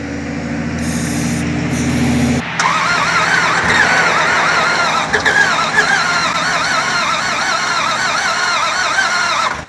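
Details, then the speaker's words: Non-running 2003 Dodge Ram 1500 4.7, cranked on ether after a weak fuel pump was suspected: uneven, labouring crank with a lumpy rhythm and occasional clunks, never catching. Hard irregular cranking, no start; the cranking later set code P0032. "wow it really cranks weird i don't like the way it cranks at all try a little more ether i don't like that repeated clunk either"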